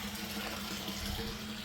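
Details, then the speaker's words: New exposed septic system after house flushing: effluent pours straight into the single-compartment pump tank with no T, a steady splashing rush without gurgling or surging; normal wastewater inflow. "So it enters here, it doesn't need a T or anything. It's just dumping in"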